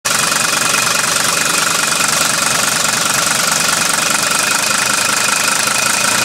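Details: Mercedes W123 300D diesel recorded from outside the car at night: steady idle with a hard, sharp clatter, about two knocks a second, that doesn't let up; the knocking is barely audible from outside.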